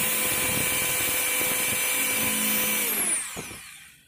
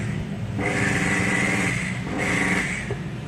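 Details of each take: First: Makita HR2230 rotary hammer, weak and powerless before service, test-run after fitting the 627 bearing and wave spring: strong, even high whine at full speed, smooth spin-down with no rattle, clean restart; power restored, motor sounds healthy. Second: Makita HR2230 rotary hammer, rarely used, weak with no power when drilling. Two short bursts with a rough, growling hum and a sluggish, slow low-pitched whir. Weak armature suspected, not confirmed.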